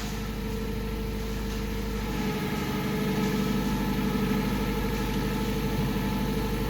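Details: Clark forklift with a Hyundai 2.4 (owner thinks) that ran rough, was hard to start and hesitated on snap throttle; after replacing the sensor, key-on reading holds steady and the idle is even and smooth with no stumbling or misses.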